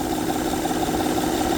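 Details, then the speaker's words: A 2008 Honda Pilot idling with the intake-side timing belt cover off gives a busy, uneven rattle from the engine. The timing belt is slack and flapping up and down because the tensioner is bad: timing belt tensioner rattle. "yep that's what's causing the noise because the tensioner is going bad or is bad see how the belt is not tight it's flapping up and down"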